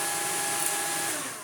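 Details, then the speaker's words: Refurbished Bosch Athlet cordless vacuum, without the better motor since it could not fit with the battery pack; steady high motor whine, clean stable tones, no rattle or grinding, easing down at the end; normal running. "Sounds okay."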